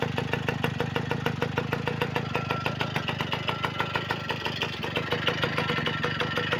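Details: V50 two-stroke engine after a full overhaul with a Dio piston, at idle: crisp, even popping with no knock, rattle or misses; runs perfectly, normal idle.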